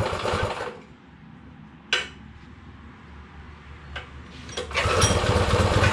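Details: Baja Motorsports Baja Warrior mini bike, single-cylinder: runs loud, then sags to a weak stumbling idle that nearly dies and picks back up; it won't idle off choke.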